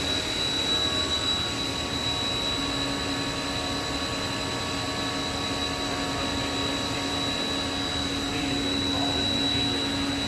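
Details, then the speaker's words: Haas VF-3 vertical machining center, spindle at 5,000 RPM while the table makes linear cross-axis moves at 40 inches a minute, recorded about 8 inches from the spindle. A smooth high tone with a faint constant whine and no knocks or grinding. Normal, quiet spindle running. "Table moving in the cross axis. Spindle's running at 5,000 RPM. You can hear it's pretty quiet."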